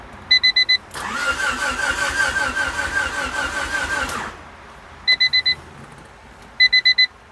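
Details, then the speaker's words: 1988 Honda Civic wagon with fuel issues and a new distributor: warning chimes, then about three seconds of even starter cranking that never catches; cranks but won't start. "Alright, she sounds like she's about to start."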